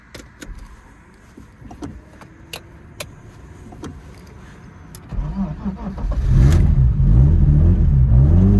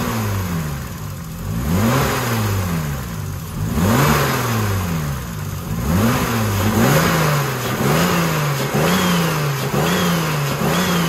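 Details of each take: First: BMW E36 turbo after an alternator rebuild with new bearings and a new timing tensioner: a few clicks, then the engine starts and settles into a loud, rhythmic running noise from the timing area, unchanged by the repair. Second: BMW E36 turbo after alternator refurbishment and timing tensioner replacement, purged by throttle blips: revs climb and drop cleanly with no rattle standing out; engine sounds healthy now.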